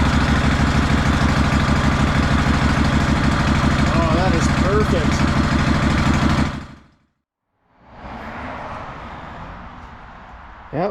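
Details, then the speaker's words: 2004 Craftsman DLT3000 lawn tractor single-cylinder engine idles with a steady, even thump after carburetor cleaning, fresh gas and new fuel lines replaced rotted ones; normal idle, then sound drops away. "well that paid off listen to that idle fresh gas good fuel lines that's what it needed"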